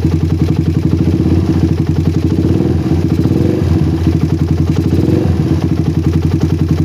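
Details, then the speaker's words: Single-cylinder bike with a PWK carburetor that ran wet at low RPM, now fixed. The idle is a steady, even putter, and pressing the throttle slide no longer changes it. The air screw has been adjusted so the idle is balanced. "Oke sudah enggak ada pengaruh sedikit pun ya ini skap saya tekan-tekan sampai agak lama"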